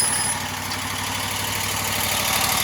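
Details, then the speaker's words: Wright Stander ZK mower running after hydro pulley replacement: smooth, but a steady, even-pitched whirring with no knocks remains on the drive side; source not yet found. "Still a whirring of some sort."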